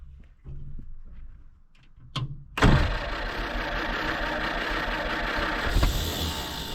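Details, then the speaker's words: 1946 Jeep Willys CJ-2A sitting for years, new plugs, fed from a rigged gas can: engine catches with a loud burst, runs a few seconds unevenly, then struggles and won't stay running; cause unconfirmed. "again go ahead she's trying to run give her some gas"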